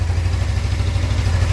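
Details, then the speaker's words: Suzuki GSX250R fuel-injected bike after fuel repair, idling on low fuel for the first time. Low, even burble at a steady beat with no misses or knocks; no fuel leaks seen. Normal idle. "that's the lowest this bike's been able to run without fuel sounds good sounds good going to let it run for a minute"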